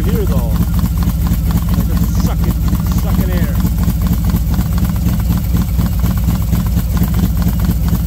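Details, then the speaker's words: V-twin motorcycle with SS540 cam and valve springs, idling about 10 minutes warming up at 40°F outside: loping steady idle with intake hiss, no ticking; engine sounds healthy. "sounds good I hear a lot here it's 40 degrees outside warming up it's sounding pretty good"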